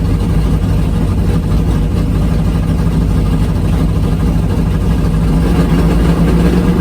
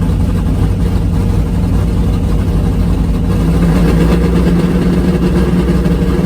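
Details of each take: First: Drag race V8 idling on the return road after a pass: deep, lumpy idle with an uneven beat, one dead cylinder. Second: V8 drag car at full throttle on the strip, after swapping back to the old APD carburetor because the other carb surged as if fuel-starved (6.53 at 99 mph). Loud, deep roar pulls steadily with no stumble, surge or misfire; it runs much better.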